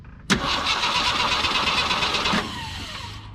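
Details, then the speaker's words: 42-year-old army Jeep not started since 2009, after new fuel pump fitted: starter cranks steadily about two seconds, never fires; no fuel reaching carburettor, source between tank and pump or pump to carb unknown; cranks but no start, fuel starvation. "okay so still nothing out of here i'm gonna unhook the uh fuel line from the top of the fuel pump and see if we get any fuel coming out of that"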